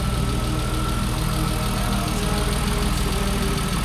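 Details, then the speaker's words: BMW E36 M3 S52 high-mileage engine, first start since ownership, warming toward operating temperature: steady idle with a light quick ticking, which the owner attributes to lifters, though injectors were also considered; instant oil pressure. "no that's that's lifters that's lifters all day high mileage engine"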